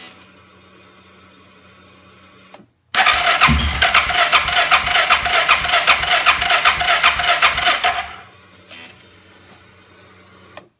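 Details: 2005 Suzuki King Quad 700 with an aftermarket Copperhead ECU has had starting problems since install. The starter cranks steadily for about five seconds, but the engine never catches. The stock ECU starts it fine; the ECU maker blames the charging system, citing the dash dimming and battery dropping to 8V.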